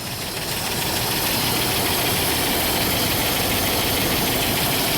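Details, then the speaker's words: 2005 Dodge Ram 2500 5.7 Hemi V8, almost 300,000 miles, dead cylinder misfire, at idle: sharp even tick about four times a second; suspected seized roller lifter that wore a cam lobe. "so that ticking right there I think a cam is worn out"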